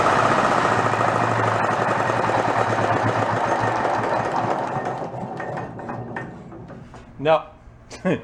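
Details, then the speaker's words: Renault single-cylinder marine diesel, spare that sat about 20 years in a shed, being coaxed to idle. It chugs unevenly at about four beats a second, then stumbles toward stalling as fuel empties fast from the cup reservoir; bad line suspected. Fuel starvation. "not doing what she's supposed to be doing it the idol i think will work but it just dumps the fuel off so fast like how full the cup is every time it's just emptying out that reservoir"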